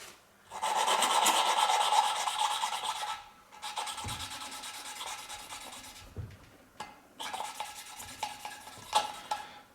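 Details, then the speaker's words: Classic Mini 1100 Special cylinder head, hand-lapping a valve on its seat with coarse grinding paste: dry back-and-forth rasping bursts, about three a second, now fairly smooth but not finished. Fine paste comes next, once the wear pattern is even. "done inside them but like I say you can hear that's quite smooth now but that doesn't mean it's done you know pick it back up"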